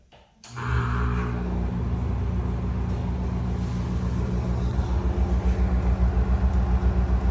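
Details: NuTone exhaust fan, from 2010 or 2011: deep hum with rough grinding rumble as it spins, very bad worn bearings.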